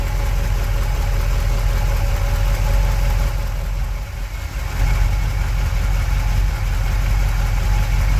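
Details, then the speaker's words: 1959 Chevy El Camino V8 through glass-pack mufflers, off the road 29 years with overhauled mechanicals, idling at its first shakedown start and warm-up. Deep, even burble with no misses or knocks; normal idle. "All right, let's go. All right, looking and sounding good."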